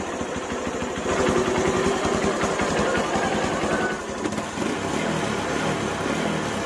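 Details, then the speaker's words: Honda Megapro mono single-cylinder after replacing carburetor vacuum diaphragm with imitation part, previously hesitating on initial throttle: idles evenly, picks up quickly and cleanly on each blip with no stumble; normal throttle response. "untuk respon dari gasnya ini sangat cepat sekali ya enggak ada nyendat-nyendatnya jadi bisa dipastikan motor ini pasti sangat responsif kalau dipakai jalan"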